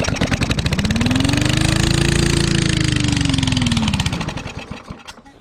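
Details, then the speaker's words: Yard Machine lawnmower from trash, after cleaning fouled plug with weak yellow spark and priming: rapid, harsh, very loud popping exhaust swelling with speed then fading from a bad muffler; possible rod knock hard to tell. "now it sounds like a demolition to every car now is it um making noises got a rod knock it's kind of hard to tell because the bad muffler"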